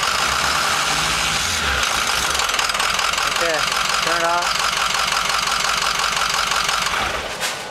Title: F-250 diesel rough idle